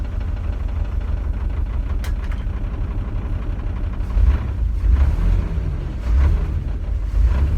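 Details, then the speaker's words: S10 Blazer first start after sitting five years, after replacing a dead-on-arrival Walbro fuel pump with a Delphi pump and new fuel filter: low steady rumble settling to even idle with a few mild revs, no knock or misfire; runs normally. "Yes! It worked! It runs after 5 years, it runs!"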